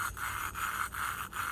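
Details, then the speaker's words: Harbor Freight Predator 212 Hemi engine head valve lapped by hand with suction cup: rough gritty back-and-forth grinding, loud at first and getting quieter as valve and seat mate; seat not yet fully lapped. "gently and you can hear at the start the grind is pretty loud and as we work on it the grinding should get quieter now you can hear the grinding getting a little quieter and I can also feel it"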